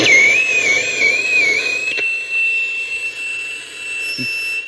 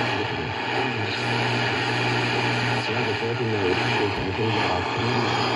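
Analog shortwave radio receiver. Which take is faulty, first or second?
first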